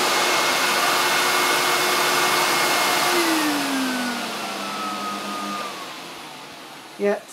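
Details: Hoover SC364 Vogue 1300 vacuum cleaner, apparently Vogue-based, unboxed before restoration: steady high motor whine winding down smoothly at switch-off, no rattle or grinding; motor sounds fine.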